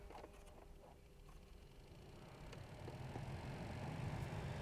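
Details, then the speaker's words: 2007-era Alpina B7 blower after a new OE blower resistor replaced the burnt original: the fan now blows, but a quiet air rush carries a light chirping squeak three to four times a second from the blower motor, which needs replacing. "yes we have dust in our face which means the fans are working but it's making a very annoying sound so i think we're gonna have to replace that thing after all"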